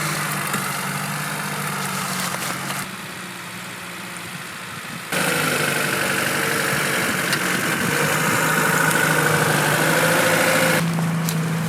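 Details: Lada Niva carburettor engine after fixing idle problem; smooth even idle with steady regular beat, no misses, stumbles or hunting; running normally after repair.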